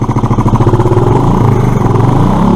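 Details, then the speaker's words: Suzuki Address scooter (nicknamed Phyllis) under investigation for poor running, air filter removed: fast, choppy, uneven and breathless firing as the little engine revs; rough revving expected without the filter, throttle body still to be cleaned. "they're not obviously it's not going to run right without the air filter"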